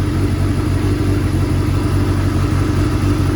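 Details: 1989 Kawasaki Ninja ZX7 carbureted four-cylinder after the idle screw, found turned way up and causing over-revving, was backed off. It gives a steady even low burble at a calm idle with no hunting.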